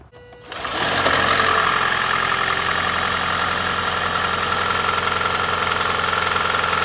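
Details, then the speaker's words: 2010 Prius (3rd gen) cold morning start after EGR test, owner suspecting EGR rather than head gasket for death rattle: cranks, catches within a second, settles into even idle with no rattle or knock; smooth cold start. "but my big suspicion is that this is going to make this car start and run smooth so let's find out"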